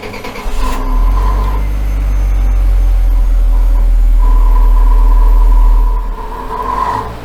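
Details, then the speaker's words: Engine on the dyno stuck in limp mode, held at about 3,000 rpm after codes cleared: steady, flat drone with no rise in speed; forward collision code showing. "still stuck at 3,000"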